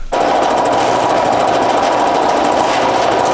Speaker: it is the loudest compressor I've heard in my life I've heard a lot of big compressors but this one uh sounds like it's going to Rattle itself to death but maybe it'll live long enough to get air in some tires